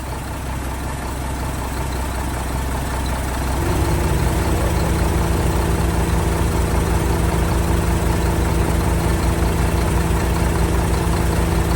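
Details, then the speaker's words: 1975 Mack FR700 8x4 twin-steer truck, diesel, first start in many years after bleeding fuel to injectors; cranks three seconds, catches and settles into steady even low idle with no knocks: normal diesel idle. "Well, she's a goer. Success."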